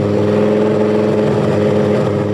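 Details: 1983 Audi Quattro turbo 5-cylinder after rebuild with new turbo, refreshed head and clutch, and ignition timing retarded: loud open-exhaust run, steady and even with no kickback or starter clatter.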